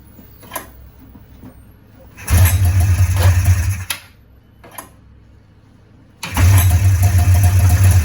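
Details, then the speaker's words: 1994 Polaris Indy 440 two-stroke snowmobile with the start/stop switch unplugged; fires up twice and settles into a low, steady burble, idling well though smoking. "all right so she runs actually sounds like it's idling pretty damn good right now"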